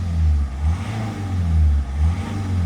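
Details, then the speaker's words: Car saved from scrap, engine nearly up to operating temperature after old fuel drained and about 10 L added: deep engine note rises and falls smoothly through throttle blips, clean pickup with no stumble or miss; normal revving. "The engine sounds healthy. It sounds fantastic. It's nearly up to temperature."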